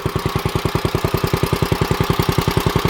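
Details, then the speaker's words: 1955 Wheel Horse Senior garden tractor, maiden ride, put in first gear: crisp even single-cylinder putter around ten beats a second, no stumbles or gear noise; healthy. "This thing just down the driveway is super smooth. There's absolutely no gear noise. I can't believe it."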